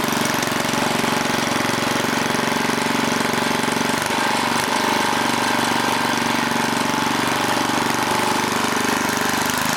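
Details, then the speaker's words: 1980 rototiller, small engine started with manual choke, busy clatter sagging and recovering instead of holding steady; speed hunting, something wrong with the throttle linkage. "something wrong with this throttle link i'm gonna move this handle up"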